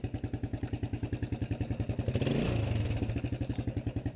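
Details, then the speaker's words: 1993 Suzuki Quad Runner 230 single-cylinder ATV after replacing the loose front motor mount with correct bolts, fixing the bracket and refitting the sprocket guard: steady, even thumping with a smooth rev rise and no shake or rattle; vibration fixed, normal running. "but I want to make sure we don't have any vibration. That was definitely the fix because it's not vibrating anymore."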